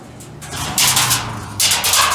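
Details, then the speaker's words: Laundromat dryer being tested after repair: bursts of metallic clatter with each drum turn, first suspected to be a nail, then found to be two pennies loose in the drum, which is considered normal. "Alright, got the glass back in, testing the dryer. If you hear that sound, it sounds like there's a nail in"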